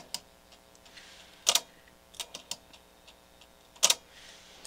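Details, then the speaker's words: NAD 6155 cassette deck with the cover plate off and the mechanism still in place: quiet irregular ticks with a louder double click about every two seconds; owner suspects a hidden gear with a tooth or two missing. "there's something going on in behind here that i can't see it's making that noise i think it's a a gear with a tooth or two missing"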